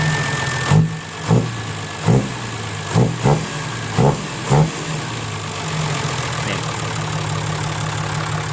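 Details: Diesel 6HH engine (210) with owner-reported lack of power, after injection pump tune: low steady idle with a few loud thumps early, then smooth and even; normal idle.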